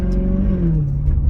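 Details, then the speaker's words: Maserati GranTurismo S V8 under acceleration, about 300 miles after sport cats with resonators fitted: deep note climbing smoothly with revs, strong and even with no misfire; the exotic sound is returning. "That's the sound I was trying to explain. The sound's coming back, which is what I lost, the exotic sound,"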